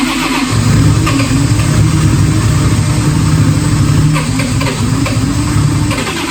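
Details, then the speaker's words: 1000hp 2JZ-powered Skyline wagon, first start attempt after build: starter spins engine steadily with uneven chuffing but it never catches; cranks without starting, possibly a kill switch issue, unconfirmed. "Oh! Apparently it's the moment of truth. I'm scared. You're scared, I'm scared."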